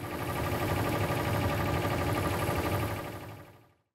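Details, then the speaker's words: Furnace blower fan motor with worn bearings, making a low, rumbling churn with a rough, rhythmic pulse like an idling truck; replacement of the failing motor is advised. "Another source of noise is when the motor bearings wear down. And this might sound"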